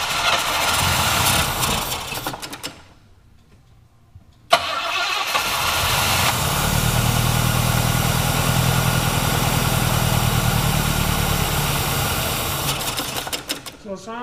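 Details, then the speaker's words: Engine that has sat for years, with diaphragm carburetion and no floats: it cranks, stalls, then catches and runs at a lumpy, uneven idle; hard starting and rough running, possibly a blown diaphragm or just finicky from sitting. "might have float issues or something oh that's right no floats now all diaphragms be a blown diaphragm or it could just be its finicky it's been sitting for years"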